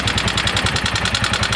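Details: Yamaha Mio M3 scooter, rough and underpowered: fast even ticking over a rough, uneven idle; excessive valve clearance, cam chain also suspected.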